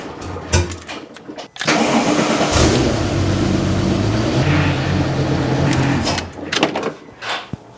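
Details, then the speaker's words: 600HP Porsche 911 Turbo being rebuilt after a crash, run with new exhaust, O2 sensors and intake piping: engine idles with a steady whine from the power steering pump, probably completely out of fluid; reservoir found empty, no visible leak now. "I can hear the power steering pump whining cuz it's probably completely out of fluid but I don't see it leaking anymore"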